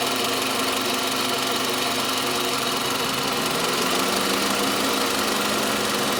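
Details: Toyota Camry 40 with 2.4 engine: a constant, sharp, ringing knock over a busy engine hum around the alternator; engine knock, source can't be pinned down by ear.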